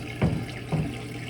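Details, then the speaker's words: Kenmore Elite front-load washer, model 110.42922200, diagnostic step CO6 drain: a low, steady pump hum with gurgling water surges about every half second as water is pulled out. The drain pump sounds normal. "Now it's going to the drain pump. CO6. And you can hear the drain pump on."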